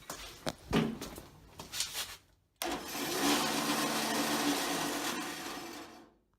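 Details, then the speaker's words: Older jointer after repair, following a few clicks: steady, even, loud whir, normal running; earlier funny noise came from loose Allen screws letting the pulley work halfway off the shaft, fixed by cleaning the keyway, retightening and refitting the belt. "an older model and it's noisy by design i guess but that's the sound it should make so I'm back in business"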